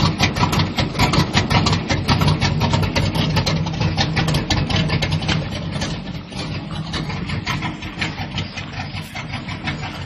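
Idle beats along near 110 a minute but unevenly, with dips and stumbles in the firing; a rough-running engine, cause unclear.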